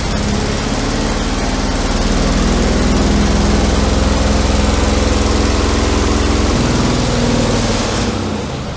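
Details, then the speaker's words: Big twin-cylinder garden tractor, suspected of a stuck carb needle and seat, after a compression check and never refuelled since purchase: it chugs steadily, then sags, winds down and quits with the fuel filter bone dry. Stall from running out of gas. "working well it was going great till it wasn't hell am might around of gas I haven't even put gas in it since I brought it home yep filters bone dry"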